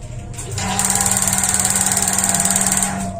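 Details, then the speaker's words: Paloma gas water heater with water pump, microswitch working: rapid sharp clicking about twenty per second for two seconds under water hiss, no burner roar; spark fires but gas never lights, suspected diaphragm problem. "Kok tidak mampu padahal ini memakai pompa ada masalah di membrannya"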